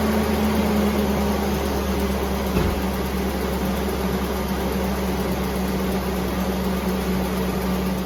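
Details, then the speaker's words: Truck at idle after belt repairs, coolant topped up, warming until the thermostat opens. Steady, even hum with no more belt squeal or whirring; normal, much quieter idle. "It's, yeah, crazy how quiet my truck is."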